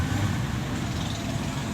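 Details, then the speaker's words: Suzuki Ignis K12C petrol engine, after head gasket replacement and timing reset for a misfire and no-idle problem, idling with a steady even hum, no knocks, ticks or misses. "कोई sound नहीं है गाड़ी में कोई कुछ नहीं है गाड़ी मालूम ही नहीं पड़ा गाड़ी स्टार्ट है"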